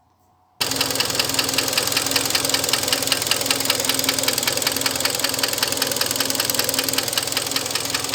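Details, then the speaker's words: Hyundai ix35 2013, 2.0 petrol G4KD, almost 100,000 km, scored cylinders (4th cylinder): steady sharp metallic knock about two or three a second over the running engine. Piston slap; fixed by overhaul with cylinder boring. "и так задиры хочу показать вам как стучит двигатель g4 кадет задирами"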